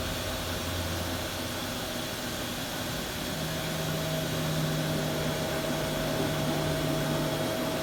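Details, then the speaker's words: Haas VF4 spindle running after a tool change: steady hum with a thin constant whine coming in partway, from two pins contacting each other. Disconnecting a hose stops the noise. "So the issue is that when I make a tool change, those two pins are making contact to each other after a tool change, and then that's where the noise is coming from."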